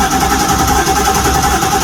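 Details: 1973 Holiday Mansion houseboat engine catches and runs with a steady buzzing only on starting spray in the carburetor barrels despite several gallons of fuel added; suspected fuel not reaching the engine.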